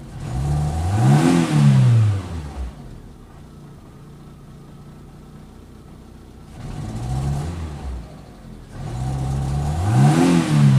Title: Fiat Punto mk2 1.2 16v rough idle